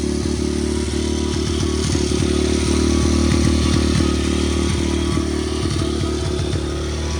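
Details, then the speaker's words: 125cc Atomik pit bike single-cylinder, first kick cold start on choke: loud steady thump with some clatter, no obvious knock. Runs well but smokes heavily after locking up. "it does run pretty good um doesn't make any extra you know knocks and bangs and noises any more than a normal pit bike would but it blows smoke like no tomorrow"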